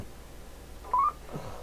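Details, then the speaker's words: President Taylor FCC 40-channel AM CB radio, roger beep turned on: short chirp of a few quick upward-stepping tones at end of transmission; roger beep working normally. "yep that's the Roger beep"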